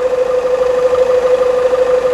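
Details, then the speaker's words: Toyota Hilux after a new steering box: steady, even idle with a constant mid-pitched hum and gentle regular pulse, no knocks or rattles. Engine running smoothly. "e a muita melodia tantas condições a caminhonete está funcionando redondinho tá tá redondinho né"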